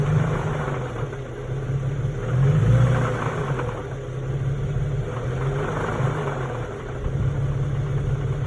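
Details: 2011 Infiniti G37x petrol engine in park: a loose, uneven rattle at idle that grows louder when briefly revved.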